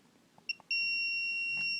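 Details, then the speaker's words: Samsung PN43D450A2D TV (relay clicks, won't turn on): continuity check on X board transistor, tab to leg, gives a steady high beep, a direct short straight through; six surface-mount transistors found bad, new board advised. "Check them for the continuity. I'm going to start with the tab of it, and you'll go into a leg. You hear the beep. That means it's a direct short"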